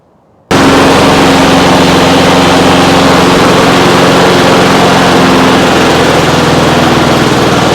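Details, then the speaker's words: Trash-picked Honda HRX217 (HRX217TDA) self-propelled 21-inch mower, possibly GCV160/GCV190 engine, started hard on choke, possibly a carb issue: loud steady single-cylinder drone at even speed without misses or surging; clearly a runner, wheels drive. "clearly a runner see the wheels work"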